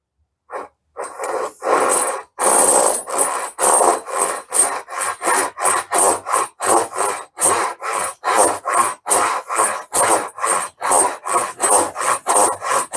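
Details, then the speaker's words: Japanese pull saw, unused for months, cutting a dovetail: rhythmic rasping strokes, about two and a half per second, with a buzzy rattle in each pull; blade vibrating, possibly because the wood sits too high in the vise. "Now you can hear how much vibration I'm getting out of that. I don't remember it doing that before."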